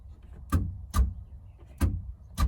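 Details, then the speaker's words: Holden VK Brock dash reinstallation, after swapping wires: four sharp separate clicks about half a second to a second apart in quiet, the boot release solenoid working properly. "you hopefully you can hear that clicking that's the boot release"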